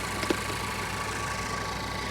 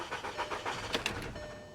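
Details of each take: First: 2013 BMW 328i salvage-auction car, alternator charging 14.2 V: quiet, smooth idle with steady low hum, no stumble or knock; ran a little rough at first start, now idling well; transmission problem suspected. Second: 2013 BMW 328i salvage-auction car listed as starts but doesn't drive, on a jump pack: quick even cranking beats about seven per second that trail off without catching, which sounded unhealthy; cranks but won't start.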